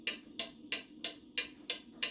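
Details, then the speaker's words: Antique pendulum mantel clock that had been out of beat, lifted on one side until the beat evens out: crisp, even tick-tock about three per second. Clock now in beat. "And lift it up until you can hear the proper beat. This is the proper beat."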